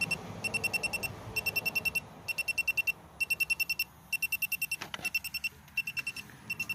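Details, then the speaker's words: 2017 Chevy Malibu AC: leak detector at the front of the compressor gives rapid repeating bursts of high beeps; refrigerant leak, suspected compressor seal rather than evaporator. "so I think probably maybe the seal on the compressor is leaking give it another shot here yeah so it looks like it's actually the compressor and not the evaporator"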